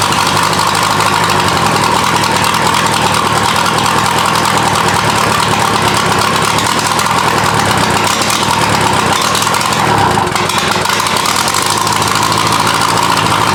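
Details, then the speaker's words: VW diesel engine swapped into an offroad Mazda, first start after a long crank: steady diesel clatter at idle with turbo whistle, black smoke; smoke from the coolant pipe, cause unknown. "why is there smoke coming out of the coolant pipe it's a little concerning"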